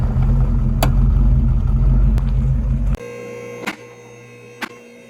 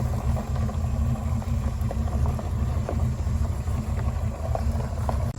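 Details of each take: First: 1979 Pontiac Trans Am 10th Anniversary, 10-bolt 8.5-inch limited-slip rear end: low rumble then sharp pops and clunks about a second apart when turning in driveway, tires jumping; limited-slip clutch chatter, fixed with fluid change and additive. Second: 1979 Pontiac Trans Am, 10-bolt 8.5-inch positraction rear end, after refilling with 80W-90 gear oil plus limited-slip additive: steady, low rumble through the turn with no clicking or popping; a quiet limited-slip differential when turning.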